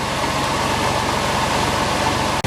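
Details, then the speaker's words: Porsche 911 996 C4S just after replacing starter motor, alternator and power steering pump: engine settling to a steady even idle with regular low pulse, no knocks, squeals or grinding, no coolant leak; normal idle. "hopefully you can hear me over the noise it's just settling down now on the idle"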